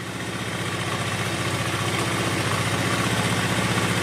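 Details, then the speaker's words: Honda Vario 110 carbureted scooter after carburetor cleaning service, started right away and left to warm before air and idle adjustment: steady single-cylinder putter with no misses, speed creeping up slightly; normal idle. "Oke, motor langsung nyala ya. Oke, motor langsung nyala."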